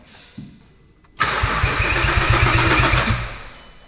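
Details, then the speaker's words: VW Caddy van fitted with a 3.2 L VR6 from an Audi A3, after fixing a loose ECU plug connection that had stopped cranking: a steady starter whirr with even compression pulses about four a second, the engine spinning freely but not yet firing. "Okay. So, now it's cranking. Okay. Okay, so that was the problem. So, it was a loose connection on the ECU, which is my fault cuz I disconnected it and reconnected it a load."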